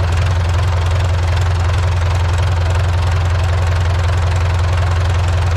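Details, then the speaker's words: Old IHC 844 diesel tractor idling on a freezing day around 0 °C, after exhaust pipes were swapped from a 633: a deep, even thump of about 2.5 beats per second with no misses or knocks. Runs like clockwork. Normal idle. "er läuft wie ein Uhrwerk"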